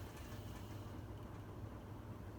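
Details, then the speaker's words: Evergo 36-inch industrial ceiling fan on a variable speed control, coasting down after being switched off; wind noise may come from a nearby KC52 fan. A soft, quiet hum fading evenly with no grinding or clicking. Normal bearing spin-down; said to have one of the best bearings. "And let's do spin down. It actually does have one of the best bearings out of all the fans. It doesn't have the best, but it has one of the best."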